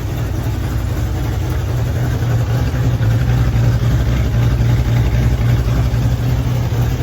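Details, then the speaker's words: 1965 Ford Mustang at idle after replacing a damaged passenger-side exhaust manifold stud: deep, steady burble, smooth and even with no ticking or puffing; exhaust leak fixed. "now you can actually hear the exhaust all the back of the car doesn't sound too bad"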